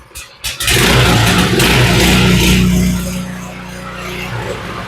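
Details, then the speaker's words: Baja (initially thought Coleman 200) small single-cylinder minibike engine, started with choke on: revs up crisply then settles to steady, slightly low idle without misses; normal running. "And she sounds pretty good. She's idling a little bit low, but I think for this style, I want to get it to idle as low as I can, so I'm going to leave that alone."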